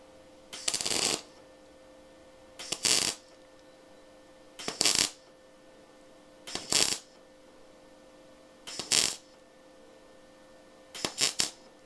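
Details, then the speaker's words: MIG welding car body sheet metal that is rusty and deliberately poorly prepared: harsh, erratic crackling bursts over a faint hum as the arc burns through; a bad weld. "T'entends, cette espèce de crépitement, il est pas bon."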